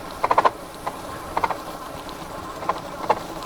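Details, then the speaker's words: Mokwheel Obsidian ST step-through fat-tire e-bike (750W rear hub motor) riding after a 25 mph brake test: sharp plastic clatters in uneven bursts from a loose rear fender. "You hear that rear fender? Yeah. $2,300 bike. And that's the fender noise."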